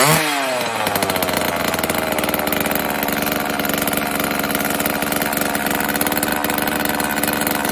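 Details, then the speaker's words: Homelite XL chainsaw started cold on choke after carburetor rebuild and new fuel and oil lines: settles into a steady even buzz with no stumbling or surging; chain oil pumps after about a minute, low-speed mixture slightly readjusted; running cleanly. "so after a minute or so there's oil coming out of it had to make one more slight adjustment on the uh the low and I think I'm good to go"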